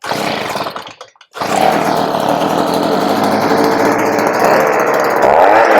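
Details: 23-year-old Stihl SH85 two-stroke leaf blower/vacuum, after a new carburetor replaced the old one on a no-start unit and the choke was turned off; it catches, dips briefly, then holds a strong steady high buzz. Normal running.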